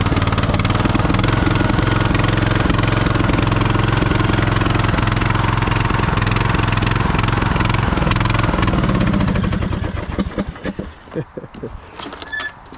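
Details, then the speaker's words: 2008 Husqvarna LTH1538 lawn tractor, jump-started with a battery jump starter: about ten seconds of steady chugging, then it sputters, misses and stalls. A seat or brake safety switch was first suspected; it actually ran out of gas, with the fuel below the pickup. "kind of sound like it ran out of gas um seems like the either the seat safety or brake safety is messed up"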